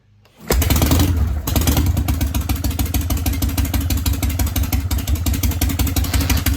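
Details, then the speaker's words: Harley Panhead started dead cold (priming kicks, choke) after setting point gap and ignition timing: kicks into life, steady even potato-potato lope, crisp exhaust, timing sounds more advanced; previously backfiring, surging, running hotter; normal idle. "so it sounds like it's good yeah you can definitely tell it's a bit more advanced"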